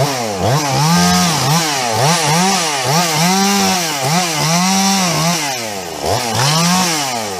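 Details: Husqvarna 350 chainsaw "Fugly" with Huztl top end, back after months on the road and field repairs (gas leak fixed); revs up and down cleanly, crisp throttle response, no bogging or misfire: healthy normal running.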